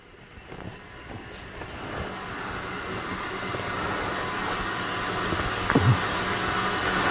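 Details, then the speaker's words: Fully refurbished SciTech 270-S spin rinse dryer in final test with small wafers: steady high-speed spin with an even whoosh and hum, no knocks or rubbing, ending in a quick wind-down to 0 RPM and door release. Wafers come out warm and dry. Normal run. "About 10 seconds left. Okay, this is because of the small wafers, it's going to wind down very quickly, which it does."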